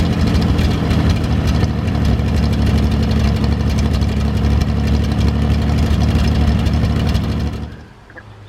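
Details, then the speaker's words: GMC 432 cubic inch V6 with five-speed Spicer, after sitting about five years, fuel pump primed: deep, steady idle with even low throb about four beats a second, no misses or knocks; slight startup smoke cleared; normal idle. "folks it was nice to hear the 432 fire up been sitting around here long enough and figured today was a really great day to get the thing cranked up and see how everything sounds and it looks like we got a nice engine to work with"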